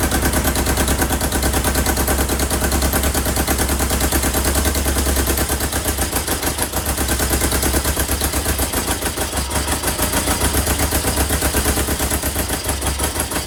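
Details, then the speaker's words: 1977 Kawasaki KZ650 B1 four-cylinder running without its airbox. Lumpy, stumbling idle with uneven popping about three beats a second, and it dies on throttle; one cylinder isn't firing. "now as soon as you give it throttle it dies but that is the longest i've ever heard it it sounds terrible"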